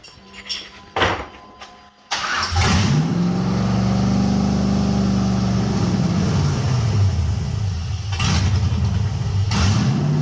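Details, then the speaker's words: 1989 Chevy S10 Blazer LS swap after refitting the MAP sensor to the LS1 intake, headers warming for the first time: brief crank, flare, then a steady even idle with no knocks or misfires; normal idle. "okay map sensor is plugged in I think it's going to idle"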